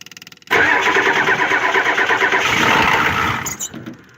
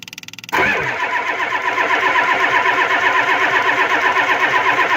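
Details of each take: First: Ford 7.3 IDI diesel, glow plugs off, a couple of sprays of starting fluid into the intake: a few slow cranking pulses, then it fires almost instantly and runs rough-even before shutdown. It was possibly already warmed up. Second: Ford 7.3 IDI diesel cold, glow plugs not used, after a heavy spray of WD-40 into the intake: starter churns at about four uneven beats a second and the engine never catches. WD-40 failed as a starting aid.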